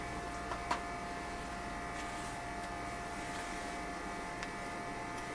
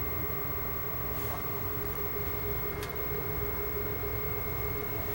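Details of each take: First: Xbox 360 cooling fan after repair of fans getting progressively louder from overheating, reassembled with game stopped; quiet steady hum, constant pitch, no rattle or speeding up. Normal fan running. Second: Xbox 360 before repair: fans keep speeding up soon after power-on as the console heats, not bearing noise; loud steady fan rush with constant whine, fans working hard because something is overheating.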